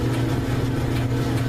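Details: Whirlpool electric dryer (240 V) with no-heat complaint, running after repair: steady even low hum with faint mains buzz, no knocking or scraping; dryer running smoothly.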